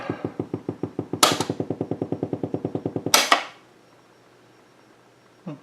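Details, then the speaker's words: Blaupunkt Florenz shortwave/AM/FM tube radio, probably 1960s, dial strings broken, first power-up: magic eye shows a station, sharp regular popping about eight or nine a second then abrupt quiet hiss; motorboating, cause unknown to owner, controls not working. "we can see it's picking up a station but I don't hear anything oh there we go motorboating yeah none of these none of these controls work"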